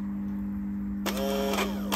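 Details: Lotus Elise Series 1 fuel pump tested as a replacement for the dead original, bench-powered directly: after a quiet hum, a steady electric whir starts abruptly and runs evenly; replacement pump working fine.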